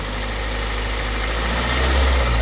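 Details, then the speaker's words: 2001 Toyota Corolla 1.8 after misfire P0301 repair, no codes present: light throttle blips in a parking lot at night rise and fall smoothly with even hum, all cylinders working well. "tengo seleccionado en gráfica los cilindros hasta ahorita trabajando muy bien cierto hasta ahorita es no puedo estar acelerando así muy muy fuerte porque estoy aquí en el parking y es de noche"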